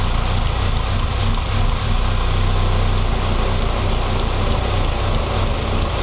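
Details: 2006 Saab 9-3 2.0T after an engine rebuild: steady low drone at idle with a slightly uneven, wavering firing beat; a rough idle, possibly vacuum related (unconfirmed), though it runs well with throttle.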